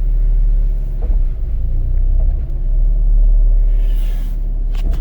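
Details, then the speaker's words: GM 6T40 transmission, stalling on stopping with P0742, during drive calibration relearn: deep idle rumble that rises and dips as each clutch is tested; idle speed varying normally during relearn. "yeah so it's still testing do this thing you know hear it changing idle or changing RPMs as it's testing everything"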